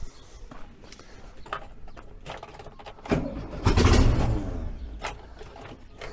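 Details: VW 1303S Beetle, rebuilt 1915cc engine, first run after timing corrected, no exhaust fitted: quiet three seconds, then catches, revs hard with open-pipe bark and settles into steady running; healthy first start.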